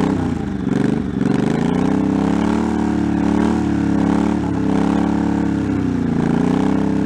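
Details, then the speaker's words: 1984 Honda Shadow VT700C, unrun for over 7 years, first start after rebuilt carburetors, starter and new fuel lines, with starting fluid: even low V-twin rumble rising and falling with throttle blips, no knocking or clatter; runs fine, rpm gauge not working. "bit okay well it's running yeah Minor Adjustments figure out why the RP gauge isn't working"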